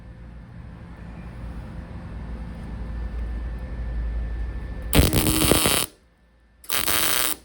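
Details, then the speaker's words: MIG tack welding a Mark IV Ford Escort body onto a Mazda MX5 chassis for an RWD body swap: two short harsh, crackling, sputtering arc bursts giving too thick a bead. Welder suspects wire speed is a bit high. "Turn the temperature down a little bit, but I think the wire speed's a little bit high because it's just getting a bit too thick of a bead."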